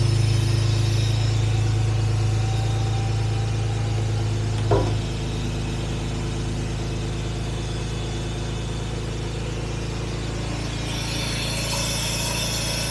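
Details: 1967 Jaguar Mark 2 idling, charging at 13.4–13.5 V: smooth, steady low idle with an even beat, no knocks, misses or hunting; normal.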